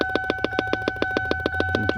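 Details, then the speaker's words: 2002 Lincoln LS8: sharp, rapid popping about seven times a second from a dash speaker while driving or with key on, caused by an aftermarket device found behind a dropped dash panel. "Alright, so this sound, that popping noise happened while I'm driving / and or key in the on position."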